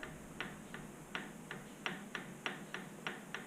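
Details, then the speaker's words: BMW R1100 final drive reassembly, pinion held in vise grips: sharp light clicks about three a second as ring gear teeth knock through backlash, specified 0.07–0.16 mm at the gear teeth. "you can actually hear the teeth clicking off each other so the amount of that motion is controlled by specification"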